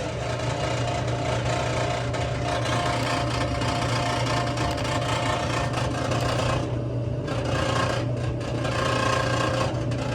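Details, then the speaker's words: Whirlpool WTW5100HW0 top-load washer running with a steady low drone plus rough rasping rub and shudder, odd vibration and belt squeal; worn drive belt riding a grooved pulley, before belt and splutch kit replacement. "That's a odd noise. Definitely a weird vibration."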